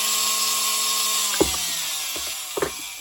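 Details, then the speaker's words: 1964 White Featherweight sewing machine motor after disassembly and servicing, run directly from test leads without a foot controller: high steady clean fast whine, sags slightly coasting, light clunks. Normal motor run. "as you can hear that motor is really running well it's nice and fast that's what we want to hear"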